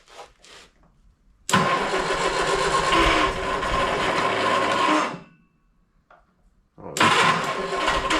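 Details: 1971 Triumph Spitfire MK III 4-cylinder, unstarted for 14 years, mouse nests blown from the tailpipe: cranks, catches and roars a few seconds, dies, then fires again on starting-fluid spray; it is starved of fuel.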